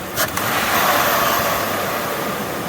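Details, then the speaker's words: Lincoln Aviator engine after IAC valve cleaning and idle relearn, throttle blipped from idle: revs rise and settle smoothly without stumbling or hunting, where it previously hesitated at lights. Normal throttle response. "now I can hear all the cold air coming in yeah that's how it should be"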